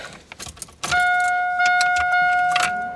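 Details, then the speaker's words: 1987 Toyota Supra with 2JZ-GE turbo swap, electric cooling fans newly wired through relays to the key: few clicks, then steady even whir with constant motor whine, pulling air, no grinding; running normally. "All right, guys. I got our fans wired into our relays. Let's see if they work. They're just hooked to the key for now until we get some kind of temp controller."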